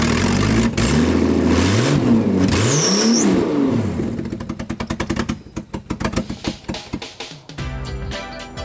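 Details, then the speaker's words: Toyota MX73 Cressida 5M-GE with junkyard 7M-GTE turbo, restart after fitting new hoses: cranks, catches and revs hard with smoke, settling to a lumpy idle with sharp exhaust pulses; turbo engine now runs. "Heck yeah! Turbo Cressida. That smoke. Oh, dude, that was immediate after I took my finger off. Awesome. That was so good."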